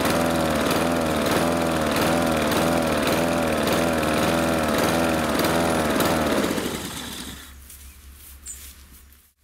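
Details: Husqvarna R 53SV self-propelled mower engine hunting, speed rising and falling about twice a second before shutting off; owner suspects blocked carburettor jets and is treating the fuel with Sea Foam.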